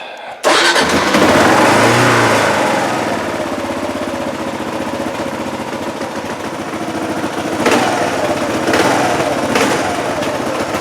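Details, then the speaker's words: Motorcycle that would not start because it was seized, now running with the fairings and plastics removed: it catches after a brief crank and settles into a smooth, even, clean run with no knocks or misses. "so yeah runs very cleanly now but no luck today"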